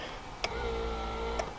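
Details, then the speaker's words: Volvo 480, ignition on, rear wiper switched: body module (CEM) relay clicks twice about a second apart to trigger the motor, faint hum between; normal relay click, though wiper fails to sweep and park. "Now if I switch the switch for the rear motor, I can hear the relay down here click, click."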